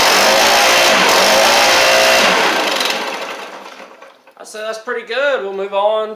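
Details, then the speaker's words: Stihl BR700 two-stroke blower, previously non-running, after a Hipa carb kit install, warming up after some choke play: high steady buzz holds even without surging, then winds down; running clean and healthy. "So, let's crank it up. I just kind of had to play with it a little bit. Little bit of choke settings and stuff. Heat up here."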